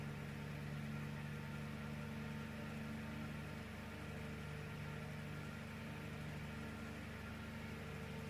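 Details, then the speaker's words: AC fan motor salvaged from a broken room heater, bench-tested on a variac at 230 V, above its 220 V nominal: smooth, even low hum, no knocks, rattles or scraping; works nicely, normal running. "even if this voltage Namur works nicely no problems at all"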